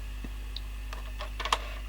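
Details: Tape transport of a 1980s JVC GR-AX200E video camera during playback: scattered irregular light ticks over a low steady hum, weird noises as the picture goes bad; the mechanism is suspected of chewing tape.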